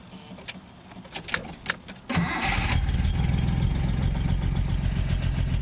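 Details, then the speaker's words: Datsun 240Z project car, cold start on choke: a few clicks, then it catches into a lumpy, uneven low chuff. Owner blames weak ignition; compression tested good at 170–185 on all six cylinders. Rough running on cold start. "see it fire is up but it just yeah that yeah she runs real rough um due to weak ignition"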